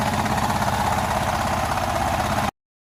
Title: Fiat Doblo 1.2 8v cold start and strange noise from the engine